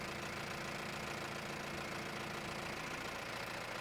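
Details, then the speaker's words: Mahindra Roxor diesel after installing an intake retaining bracket to stop turbo boost leaks: steady, even hum with no surges, hissing bursts or knocks; the engine idles smoothly and sounds healthy. "weird, but now it really sounds great. And I'm really pleased."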